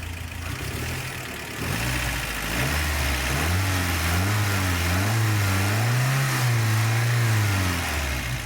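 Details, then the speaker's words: 1988 Toyota Pickup 22R, Aisin carburetor, after timing chain, water pump and oil pump replacement, sat overnight, no leaks: revs rise and fall smoothly from idle with no rattle, slap or ticking; normal revving. "let's rev it a little bit"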